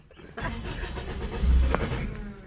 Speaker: Don't know what's the matter with the truck. Boy. No, I know what it is. It's the diaphragm. The diaphragm's gone again.